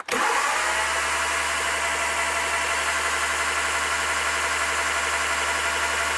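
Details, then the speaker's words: Triumph Spitfire MkIII after head rebuild, plugs out and no carburetor fitted, during a compression test: the starter spins the engine fast and evenly with a steady whir and no compression beats; normal cranking. "So while the plugs are out, I'm going to spin her around and get her pressure up."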